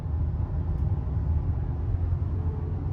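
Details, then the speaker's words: 2019 Subaru WRX STI on the highway above 60 mph: low steady buzzing drone under road noise, seemingly from the rear, pitch rising with speed; suspected worn rear wheel bearing, later replaced. "so you can hear that buzzing drone happens as soon as I get above 60 miles an hour and it's most likely a wheel bearing"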